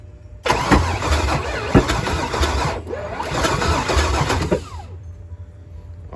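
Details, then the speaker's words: Pontiac G8 project, fuel system primed and fuel pump switched on, cold evening final attempt: starter spins engine steadily about four seconds with no firing. Crank no start; scan chart shows no rpm signal, crank sensor suspected. "we got no rpms so we're done we're dead in the water crank sensor"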